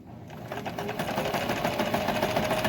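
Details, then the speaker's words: Euro-Pro EP-382 sewing machine after cleaning, oiling, gear greasing and tension adjustment, sewing forward: quick, even stitching patter with light steady whir, no clunks or binding. Runs well. "And it sounds really good. I don't know what it sounded like before."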